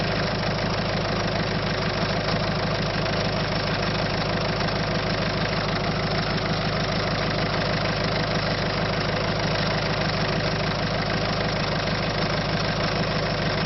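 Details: 1.6 HDi diesel at steady idle with a regular clatter about three times a second on top; abnormal engine noise, cause unclear.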